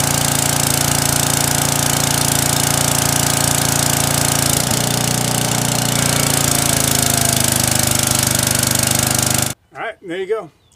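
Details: Briggs & Stratton small single-cylinder engine after a carburetor needle fix for surging and stalling under load: steady fast putter, speed holding even without surging before it shuts off; running properly.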